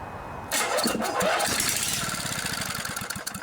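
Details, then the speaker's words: Vintage 8 hp Briggs and Stratton flathead vertical engine from Snapper/Toro rear-engine rider, junkyard, sat outside 5 years, before carburetor rebuild; starting fluid in intake port, cranks then fires with crisp even pulses: spark and compression good. "sounds like a good engine to me."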